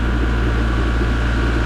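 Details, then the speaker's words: Repaired oil-lubricated compressor kicking on near 80 psi: steady low motor hum with an even mains-frequency drone and no knocking or popping. Runs normally. Earlier low oil is suspected to have caused overheating and a partial seize. "it's just really uh no banging or popping"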